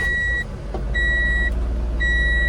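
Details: Kei truck with 41,000 km, recently replaced battery, starting right up; low, steady, smooth idle with a high chime beeping on and off.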